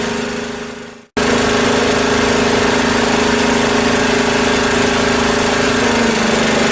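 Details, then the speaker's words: Craftsman rear-engine tractor, 13hp Tecumseh OHV, after valve work: catches and chugs unevenly with a speed sag, running rough; owner suspects a fuel issue, lean and water in fuel, possibly the float, and may recheck the valves. "now she's cranky might want to check the valves again after it runs a little bit definitely okay so that's a fuel issue right there you know it seems like it has fuel in it it's like it's almost running out"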